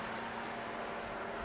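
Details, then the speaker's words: 2004 Mercedes ML500 (W163) at operating temperature after a drive around the block: the radiator fan's airflow rises to a steady high-speed rush with no wobble or rattle; it is working properly, and the temperature stays at the mark. "operating temperature up and it did speed up uh in fan speed and as a matter of fact as you could tell the temperature did not get past that Mark uh right there"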